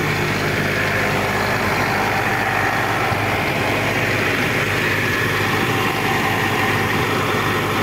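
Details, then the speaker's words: Old Caterpillar diesel at idle after overheating, once the radiator was topped up with water: steady, even rumble with no surging, knocking or hunting; the red overheat light no longer blinks and the engine is back to normal. "mga kakit hindi na nag blink blink dito ang kanyang red na light yan kapag nagoverheat ay mag blink blink dito ang red na light sa dashboard so Ayun mga kabakit ay bumabalik na sa normal"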